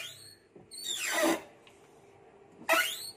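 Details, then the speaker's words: Car windscreen wipers operating: loud, high sliding squeals on each sweep, pitch swooping as arms reverse; wipers move slowly, before repair. "So kat sini boleh dengar eh bising eh. So dia bergerak pun perlahan."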